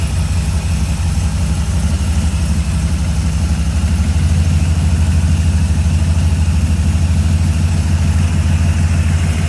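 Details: 1978 Corvette C3 restoration with newly installed FiTech EFI, ready for test driving and tuning: steady, even V8 idle with a deep low rumble, no misses, knocks or hunting; running healthy.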